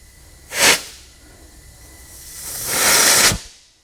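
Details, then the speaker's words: 2003 Honda Element: with cylinder 2 pressurised, two bursts of air hiss blow out of the tailpipe, a short one then a longer one; compression test showed a big leak on number 2, burnt exhaust valve. "huge buildup of there in the tailpipe look at it's completely blowing through here"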